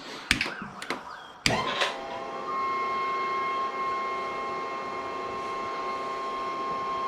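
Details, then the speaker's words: Cobra Daytona replica build, first fuel pump test before starting the Aluminator engine: a couple of thunks, then a thin steady electric hum near 1 kHz with no fuel pressure; pump leads suspected reversed. "so i think i got the leads on a fuel pump wrong way i can hear it doesn't sound quite right like we're sucking fuel"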